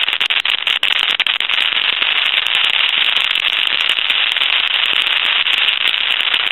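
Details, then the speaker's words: Pottery Barn Grand Phone at initial checkout, owner reports calls cutting off: constant hissing crackle and sizzle on dial tone with sharp pops; handset cord ruled out. "number and you can hear all that sizzling and crackling now we've checked the handset cord and things since this is the initial checkout and that's not the problem"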